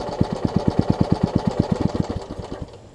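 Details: Troy-Bilt Tuffy rear-tine tiller, rebuilt from pieces; gas is reaching the carburetor but it won't keep running. Quick, even pops at about eight a second fade out within three seconds: fuel starvation from a misfitted carburetor diaphragm.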